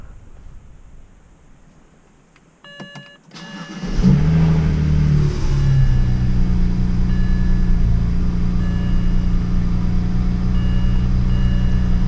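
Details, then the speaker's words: BMW E93 335i after a VR-Speed front-mount intercooler install and MHD stage 1+ tune, startup: starter whirs, engine fires with a rev flare, then a steady idle with a slight rattle; owner thinks it is the rear exhaust flap, not the wastegates. "a slight rattling from the exhaust but everything sounds normal"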